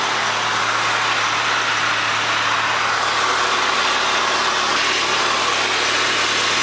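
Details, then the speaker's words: 1993 Rover 220 coupe, T-series engine, after head gasket and timing belt change, just restarted: smooth, even idle with steady hiss, no knocks or misses; a loose Jubilee clip was dripping. Normal idle. "I love how easily this car starts it always was one of those car that's happy to run which is a rare and fantastic find when you have"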